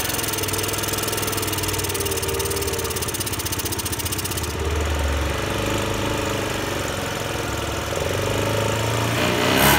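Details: Honda Today moped engine before treatment: runs rough and uneven, bogging instead of picking up when throttle opens; won't rev freely; carbon buildup suspected, engine conditioner tried.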